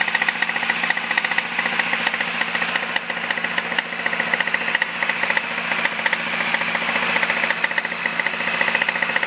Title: 2005 MINI Cooper S making clacking/clicking noise